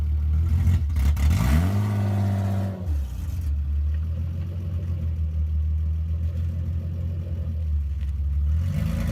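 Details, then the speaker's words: Mk2 Toyota Supra with 2JZ-GE swap on test drive after new driveshaft support hardware and driveshaft nuts and bolts torqued; drone rises and settles through gear change, no clunk, whine or rumble, drivetrain noise gone. "so Joe and Jack just took the super out for a test drive and it seems to be working okay now drivetrain noise is gone"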